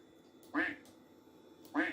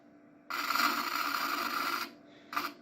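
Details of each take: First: Macintosh after cleaning and resoldering, no recap: two crisp quack alert sounds from the speaker, no crackle or distortion; normal speaker output. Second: Apple Power Macintosh 4400 failing to boot: a harsh raspy buzz with a thin whine from the speakers for about 1.5 seconds, then a short repeat burst, with no video and no startup chime; likely busted, fault unknown.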